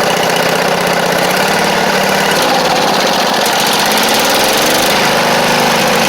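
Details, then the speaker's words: Poulan Pro (Craftsman) rider, Briggs V-twin: runs loud and lumpy with an uneven pulse about four a second; carb flooding, fuel pouring in from a failed needle and seat. "it's doing is it's flooding itself out down here, as you can see."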